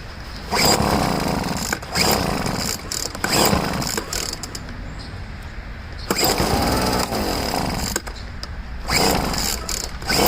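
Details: Poulan two-stroke leaf blower after first start following five months of storage and richening the high-speed mixture screw: revs up in clean, even bursts between pauses without sputter; running properly.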